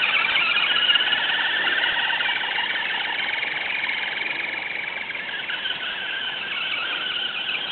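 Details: FTX Kanyon RC car after swapping the stock 60T motor for a 35T with a smaller pinion, correct gear mesh and fresh grease: a loud high-pitched squeal pulsing about three times a second at low revs. Source unknown to the owner.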